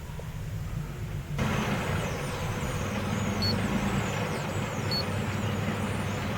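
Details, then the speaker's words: 2005 Ford Explorer with code P0190, before the TPS is changed: low, uneven, lumpy idle with a wandering beat. "That's what it's doing right now. It's not. It's a rough idle. This is before the TPS is being changed."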